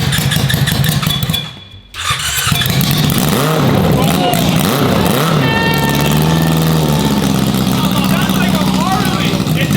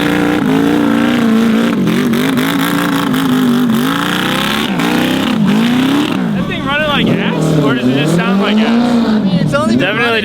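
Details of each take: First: Yamaha R6 motorcycle engine swapped into a Yamaha Raptor quad, first start: cranks, catches after a short pause, revs up and settles into a strong even run on all cylinders. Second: Yamaha R6 motor swapped into a Yamaha Raptor quad, first start with a new exhaust: ragged, uneven revving, revs hanging near 14,000 rpm before dropping; running rough and lean, owner suspects unequal-length headers.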